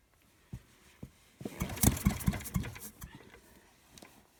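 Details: Fairbanks Morse ZD engine: a few lone pops, then a short ragged burst of firing that fades out within two seconds; the engine fails to start and keep running.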